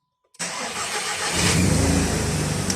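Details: VW Golf/Jetta Mk5 starting after a kill switch was wired into the starter relay circuit; a quick crank catches right away and settles into a steady, even idle with no misses or knocks. Normal engine start.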